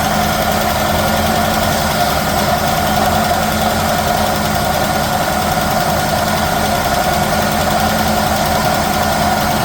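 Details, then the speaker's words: 1969 Chevelle small-block Chevy V8, just revived after decades unused: a steady idle with a constant rough whirring grind from badly worn water pump bearings, maybe a slight lifter tick. "The water pump bearings are scary. They're going like this."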